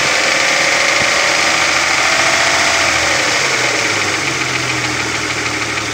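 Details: Opel Omega B idling with a sharp, fast ticking knock about 3.5 per second from the exhaust camshaft on the second cylinder head; knock present for 2.5 years; exhaust camshaft knock.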